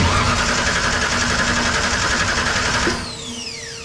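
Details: 1963 Ford Fairlane tribute with a 1998 Ford ECM, fuel pump relay jumped to give 30 psi: the starter cranks steadily for three seconds without firing. No start because PATS set a theft code and the ignition coils were wired incorrectly.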